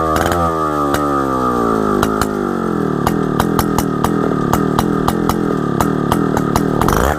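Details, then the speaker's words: 1960s Solo 626 (Solo 60126) 70cc two-stroke chainsaw, long-stored, first run before carb and fuel-system service: crisp revs drop smoothly to an even, clean note with no bogging or misfire; runs very well, normal running. "Right, as you would have just seen, this thing runs, and it runs very well at that."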